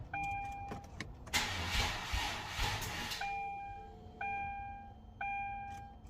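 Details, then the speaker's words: Hyundai Genesis 3.8L, first start-up attempt after an engine swap: about two seconds of sluggish cranking that dies without firing, between repeated warning chimes; the battery is weak and the starter solenoid was weak, and cranking improved after tapping it. "Again. Oh yeah. Battery is weak. So definitely starter solenoid was weak."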